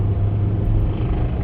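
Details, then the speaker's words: Engine with about 144,000 miles, on a road test under load with power down after an exhaust cam code: heavy low rumble with a dull knock buried in it, worn bottom-end bearings, motor judged shot and needing replacement. "oh yeah this motor shot um can you hear it I'm thinking you heard I can hear that all right yeah this thing's gonna need a motor"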